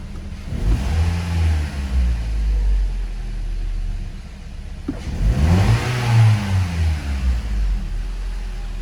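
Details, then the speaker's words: Toyota Corolla, 100,796 km, injection light on, weak, high fuel use: two quick revs sound rough and uneven, the engine shudders and misfires on sharp throttle then clears; single-cylinder misfire suspected. "quando eu acelero o carro eu percebo tá eu percebo que o motor faz tipo ele dá uma tremidazinha uma falhada uma farrapada no momento da Pisada brusca e acelerador e depois ele limpa"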